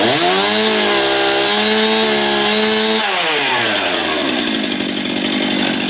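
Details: Stihl MS271 chainsaw test run after replacing a worn clutch drum. It runs at a steady high buzz, then the pitch sweeps down smoothly into an even idle; sounds healthy.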